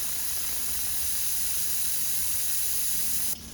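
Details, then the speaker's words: 2004 Chevy box truck V8 fuel injector tested with the fuel repressurized: steady hiss of spray for about three seconds, cutting off cleanly; it opens and sprays, though correct spray is uncertain, unlike number eight, which is stuck. "so that one spraying I'm not sure if it's spraying correct but it is opening and it is spraying"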